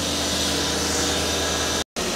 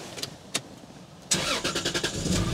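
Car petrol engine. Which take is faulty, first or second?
second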